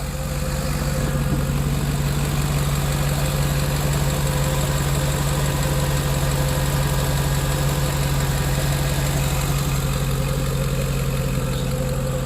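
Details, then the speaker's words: 2010 Ford F-150 4.6 V8 just rebuilt and reinstalled, first start after a brief initial miss cleared, exhaust leaks fixed: smooth, steady idle with an even low hum and no ticking or puffing; runs healthy. "took a couple of minutes for the mist to get out of it but uh it sounds really good"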